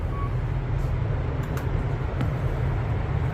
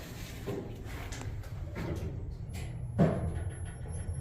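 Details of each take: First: Kone KSS 500 EcoDisc elevator, likely installed 2006. A steady, even low hum through the ride with no clunks, scraping or surging; smoother than the other car. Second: Kone KSS 500 Ecodisc elevator, likely installed 2006, car slightly over-leveled: irregular clunks and knocks as the doors work, then a steady low hum as the car starts; door operator sounds rough, cause not confirmed.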